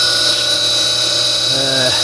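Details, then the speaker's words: Noisy pool pump motor giving a constant shrill squealing whine with a rough hiss over the hum and no change in pitch. The cheap front motor bearing is failing; the repair is a bearing replacement. "they just last a couple of years and they start squealing like a banshee"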